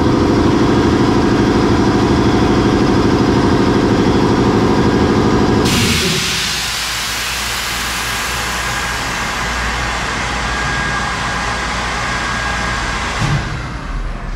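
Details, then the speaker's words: Brewery keg washing machine cleaning kegs automatically; heavy rhythmic churning gives way to a steady loud steam hiss with a faint whistle, cycling normally. "he's uh washing kegs out it's a very uh tedious process the machine does all the work"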